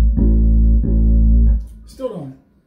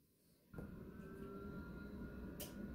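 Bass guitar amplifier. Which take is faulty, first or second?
first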